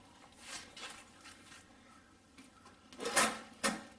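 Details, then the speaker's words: New Jegs creeper seat drawer sliding in and out with rough scratchy grinding, worst at the slam; sand in the slide bearings, persisting after disassembly, cleaning and WD-40: gritty drawer slide bearings. "see hear that noise that grinding that's where that uh sands in them barons"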